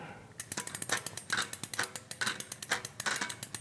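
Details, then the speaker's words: Bicycle rear wheel freewheeling on the smallest sprocket with the chain lifted off, while hunting a drivetrain rumble and grind: quick, even pawl ticking of the freehub with no rumble underneath; rear hub bearings okay, normal ratchet clicking. "I get that noise but more importantly I'm getting no rumbling that rear hub it's maybe not perfect but it's doing okay"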